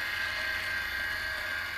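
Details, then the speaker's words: Cavitation test rig pump with motor speed reduced: smooth, even hum with a steady mid-high tone, no crackling or rattle; cavitation gone, pump running normally. "what happens you see by decreasing uh motor speed or hand speed as you see it is normal now"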